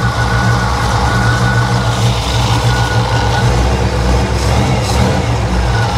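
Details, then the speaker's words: 1955 Chevy Nomad with a supercharged 350, running rich: a loud engine run with a thin, on-and-off high whir riding above the roar. Owner suspects the alternator, not confirmed. "Oh yeah, it's the alternator for sure. I can feel it. What the hell? What that noise is?"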